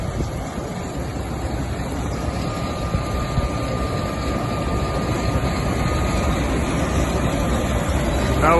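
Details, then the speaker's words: Gleaner S98 combine running after refitting a wheel that fell off during soybean harvest, back rolling within 2.5 hours; steady diesel drone slowly building, even with no knocks or grinding. Everything sounds good despite some visible damage, normal running. "Now we'll see whether we run it yet or not. Everything sounds good, but got a little bit of damage right there."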